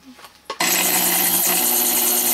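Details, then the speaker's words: Coil winder motor slowed with an AC dimmer switch in line: loud steady buzzing hum with thin high whine, straining; motor underpowered by low voltage, likely to heat under load, no hum at rated voltage. "that hum will uh that it means that the motor is not getting enough voltage and it's laboring and if you put a load on it it's probably going to heat up"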